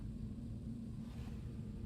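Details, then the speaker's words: Car idling on a cold morning after replacing the camshaft position sensors, before clearing codes: quiet, even low rumble, no tapping or surging, a tiny bit weird, which the owner attributes to the cold; normal idle. "I think it sounds fine it sounds a tiny bit weird but I think that's because it's fairly cold this morning"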